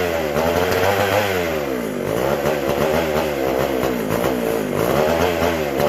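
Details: McCulloch SP125 chainsaw: two-stroke revs hunt up and down, surging without settling, lean; carb not drawing fuel or pulsating, owner unsure the sealed gas cap lets the tank vent; a large carb-to-intake gap was later found.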